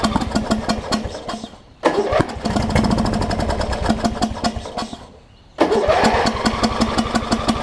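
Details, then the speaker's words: Wizard (Craftsman-type) riding mower with its old carb beyond use, carb cleaner sprayed in: two long bursts of steady starter churning, about three turns a second, never catching. It cranks but won't start; owner suspects a fouled plug or sheared flywheel key, unconfirmed. "well it could be a foul plug it could be an array of things it could be a sheared fly"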